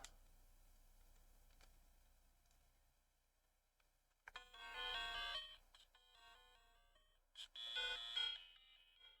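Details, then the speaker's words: Blue Game Boy Pocket, in worse condition but powering on, with grainy screen: two short, bright startup chime bursts in a quiet room; the handheld powers on normally. "yes yes yes heard a beep"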